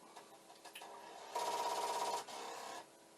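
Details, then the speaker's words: Commodore 1541 disk drive for the C64 being repaired; head hammers against its stop in rapid, buzzy rattling bursts continuously, never settling as it should if the drive recovers. "now right at this moment it does seem pretty consistent i don't want no part of this because it's very constant and but the head banging sounds good"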